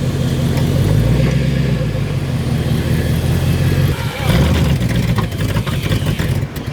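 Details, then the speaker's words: Demolition derby car being unloaded: revs, then sags and stumbles under throttle, with whining heard; owner confirms the fuel pump is going bad and plans to replace it. "I'm currently giving it gas and it's cutting any out. So, fuel pump's going bad."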